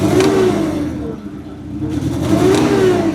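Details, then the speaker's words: Forklift engine with a check-engine light, misfiring on one cylinder and needing coils and plugs; it revs up sluggishly and unevenly with a ragged, stumbling note and takes forever to rev. "It like takes forever to rev up. I know it's misfiring on one because that's when I came to check it out last week. It was misfiring."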